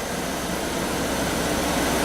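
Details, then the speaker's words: Rebuilt 2001 Pontiac running while cooling system is filled, heater on high: steady even idle hum, no knocks or ticks; sounds healthy. "so yep we're just throwing up a cooling system so cars running it sounds good"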